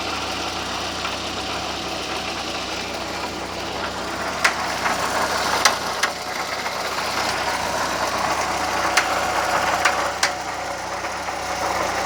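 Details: VW Gol "bola" 1.0 engine idling with irregular sharp knocking ticks every second or two over a steady hum; the noise started recently and its cause is unknown.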